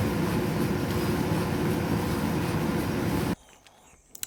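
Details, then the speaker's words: Electrolux EDH3674PDE heat-pump tumble dryer, repaired after making a strange noise with a new replacement part, drum turning smoothly with a steady, even rumble, then stopping. "donc on fait tourner et apparemment ça fonctionne correctement je vous fais écouter tout ça"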